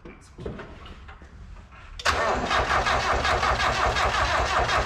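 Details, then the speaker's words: Miata track car with a VVT swap on a RusEFI ECU with a new trigger wheel setup, first start attempt using a jumper pack: the starter spins the engine at a steady even rate but it never catches; cranking, no start. "apparently not after much trigger wheeling it almost tried to start"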